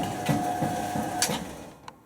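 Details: Washing machine or White Knight dryer in garage testing: dull thud about three times a second over the motor hum, steady with drum rotation, then it winds down. Something knocks each turn.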